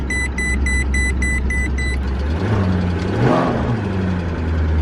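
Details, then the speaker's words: 2006 Maserati Quattroporte with DuoSelect transmission, sat for years: about seven quick even beeps in two seconds over a low idle; transmission won't engage gear. "okay it's not going into gear this is not good"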